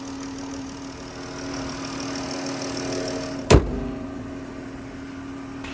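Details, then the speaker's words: 2014 Dodge Charger Pursuit with V6: smooth, even idle with a steady low hum and light injector ticking, no misses or knocks. The engine sounds healthy. "But you can hear the engine works fine. You can hear the injectors going, doing what they have to do, but definitely happy with how this engine sounds."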